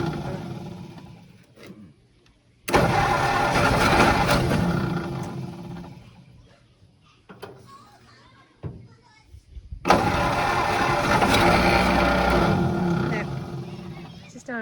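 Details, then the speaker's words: 1951 Ford flathead tow truck, started after 30 years in a junkyard: long cranking, then uneven bursts of firing that catch and fade; runs rough, sounds like mistiming; possible compression or exhaust leak suspected. "what is that noise though doesn't it almost sound like I got something firing at the wrong time"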